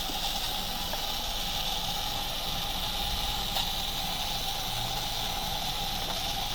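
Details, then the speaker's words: Electric RC car after pinion replacement and top-plate tightening: steady high motor whine with faint constant dry scuffing and ticks; rear tire rubbing the post, not seated correctly, amp draw about 0.06. "That noise was it not sitting on there correctly. The tire was rubbing on the post in the back."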